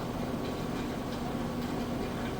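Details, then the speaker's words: Kenmore front-load washer, levelled for stability, at top spin speed: steady, even whir from the fast-spinning drum with no knocking, thumping or rubbing; normal, well-balanced extraction spin. "this is the spin I was talking about let's turn that drum light back on see it spinning super fast extracting out all the used up water and from the outside"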